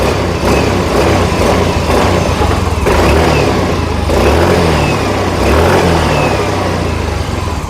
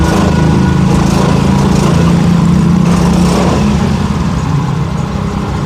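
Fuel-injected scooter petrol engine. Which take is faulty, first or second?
second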